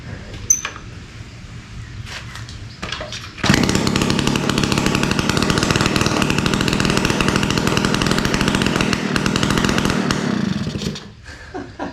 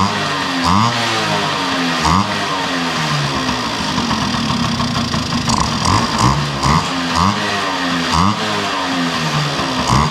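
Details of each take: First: 1971 Yamaha Mini Enduro two-stroke, first start in decades after carburetor cleaning, muffler removed because it was clogged (later found acorn piece and dirt), choke off: a few quiet pops then loud, sharp, raspy open crackle. Loud exhaust with muffler removed. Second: 1971 Yamaha Mini Enduro two-stroke after carburetor cleaning, muffler now tightened with its washer installed: crisp, even popping with a few throttle blips settling back cleanly. Normal idle.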